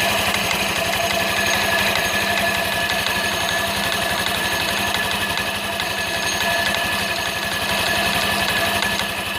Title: variator metal knocking noise